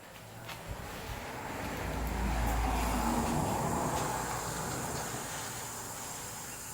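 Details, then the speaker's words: Willys Jeep engine under cylinder leak-down pressure test, ATF poured into cylinders: steady rushing hiss with quick bubbling about four per second from the exhaust; air leaking past valves, also piston rings leaking. "I can hear the ATF I dumped down the soldiers leaking in the exhaust"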